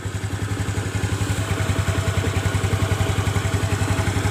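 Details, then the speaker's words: Yamaha Mio Smile scooter after retightening the loose front pulley nut (shaft worn, shimmed with a washer) and refitting the CVT cover. Steady, even idle putter at about three to four beats a second, with no rattle from the drive. "Gimana teman-teman? Udah halus ya suaranya, nggak seperti tadi."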